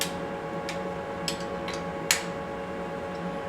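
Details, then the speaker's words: Lathe boring bar at short overhang, tapped: a few sharp taps give a short dull low ring with no lingering high tone; bar rigid, no chatter. "okay so if you listen to how this sounds you hear how that sounds nice and rigid"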